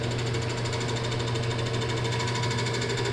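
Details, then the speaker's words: Lathe turning segmented maple lamp shade globe under 1/8 inch thick: steady low hum with fast rattling buzz, chatter from the thin wall flexing at any speed from 250 to 800. "it still was flexing as its pumped which you'll hear right now you hear that chatter"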